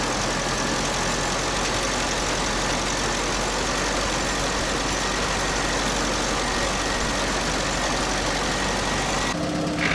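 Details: UAZ 31512 petrol engine with oil pressure loss and knocking, carburetor primed with petrol: steady low rumble, even idle without audible knocks, misses or surging under heavy hiss; runs normally here.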